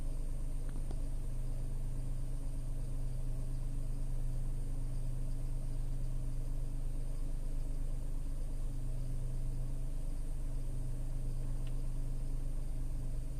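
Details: Tata Altroz naturally aspirated petrol, about 14 months old, recorded inside the cabin: steady, low, even hum with no ticks or knocks; smooth normal idle.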